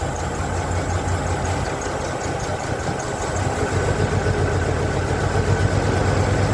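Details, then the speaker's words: 1992 Ford Flareside, warmed up after cleaning the distributor cap: uneven loping idle with engine shaking, owner suspects a dead cylinder or two and considers adjusting static distributor timing; rough idle, cause not confirmed. "as you can see see by the way the engine is still shaking there's a lope to it so i think i might have a dead cylinder or two"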